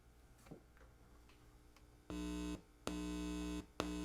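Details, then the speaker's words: Newly built 40-year-old NOS Heathkit stereo preamp under test: a screwdriver touched to the auxiliary 2 left input gives loud mains hum bursts from the left speaker, so the input channel passes signal correctly. "and I'm getting hum from the left speaker. Great, let's move on to the right."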